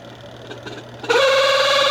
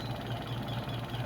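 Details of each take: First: Washing machine spin dryer, loaded with clothes, customer complains of squeaking and hard spinning, bearing or belt suspected; loud steady high squeal for about four seconds while spinning, then cuts off; worn spin tub hub. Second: Filipino washing machine spin dryer after repair; customer had complained of a creaking (langitngit) spin, possibly from bearing or belt. Suspension checked and found fine; the problem was the shifting and dashpot. Steady low hum with gentle even pulse, no squeak: creak gone.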